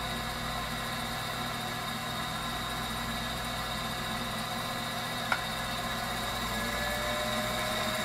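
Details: Viessmann Vitodens 200-W WB2B35 condensing boiler, built about 2011 and about 5 years in service, which intermittently stops heating with no fault codes; radiant-loop zone calling for heat. Steady, even burner roar with a faint fan hum and no pops, surging or whistles; firing normally.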